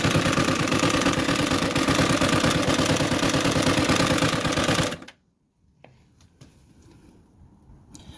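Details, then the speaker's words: CG 150 motorcycle engine with the top cover removed, idling until shutdown with a loud, rapid, clattering knock about three a second; a broken pushrod with burnt oil from lack of oil circulation. "Ahí está por eso era que nuestro motor hacía ese ruido desagradable porque tiene el lápiz o la varilla rota"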